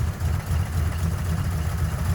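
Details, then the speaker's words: Ford F100 truck being tuned, air-fuel adjusted, timing about 11° BTDC, still shaking a little; deep, steady burble with even low pulses, no misses. Normal idle. "it's running so much better. Just kind of finishing tuning it up right now."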